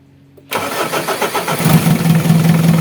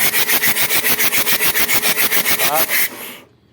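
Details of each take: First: Mitsubishi Adventure diesel after repair of an air leak at the fuel pump that caused hard starting and misfiring: fires on the first turn and settles into an even, steady idle. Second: Mitsubishi Adventure diesel, hard start after pump cleaning and new glow plug: starter cranks in even pulses about three and a half per second, never catches; air leak at fuel pump.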